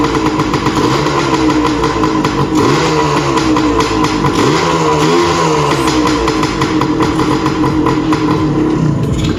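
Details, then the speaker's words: 1981 Suzuki TS185 two-stroke, running after multi-purpose spray down the cylinder to start: crisp even two-stroke buzz steady through small throttle blips, no misses or rattles; engine running properly. "So all I did was I sprayed some of that multi-purpose spray down the cylinder for it to pop off. Once it popped off, she ran sweet."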